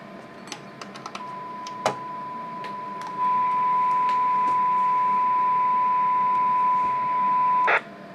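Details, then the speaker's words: Motorola M120 (GM300 variant) receiver previously deaf, after repair in the 45 MHz to 455 kHz audio processor stage, no antenna, one-microvolt signal: clean steady test tone for about six seconds; normal receiver audio. "so i haven't even attached the antenna yet and you can already you can already hear it um so yeah that was that was our problem"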